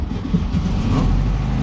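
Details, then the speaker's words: 1967 VW Beetle, sat for years, first start with manual choke; deep lumpy rumble catches and firms into a steady low beat within seconds, fired right off once it got fuel, oil not yet checked; engine starting. "I am literally in awe. What? It just fired right off once it got fuel."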